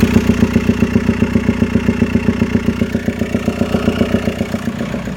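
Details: Mk4 VW Golf 1.9 TDI PD 150 ARL at idle, noise mainly from airbox area: steady sharp clatter about 2.5 knocks a second; car also down on power, smoky, boost dropping after 3k rpm, heavy breather blowback; abnormal knock, source unknown.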